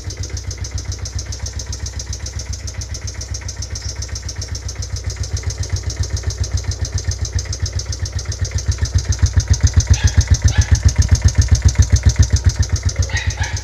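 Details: Raider J Pro motorcycle engine idling with a sharp regular knock about four beats a second over the exhaust, appearing after it was revved hard to top speed; cause suspected, not confirmed.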